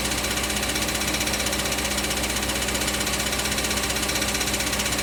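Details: 2005 Audi B6 4.2 L V8 automatic, 180,000 miles, on cold start: a fast metallic rattle about three per second under the engine. A failing starter return spring left the pinion hitting the flywheel; revving cleared it.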